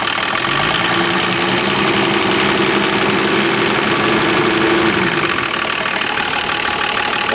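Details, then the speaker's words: Volvo turbo diesel run for months on filtered waste motor oil, idling with open intake; steady even clatter with faint turbo hiss, no knocks or misses, running like new. "as much as it's ready for the bone yarn it runs like brand new"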